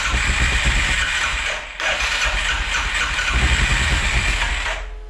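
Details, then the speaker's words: 2011 Arctic Cat 700 EFI ATV single-cylinder engine: hard starting, uneven lumpy idle with a brief sag and weak power; later traced to incorrectly set valve timing, electrical faults ruled out. "Sú tu o dosť horšie štarty. Ten chod mi príde mi nepravidelný."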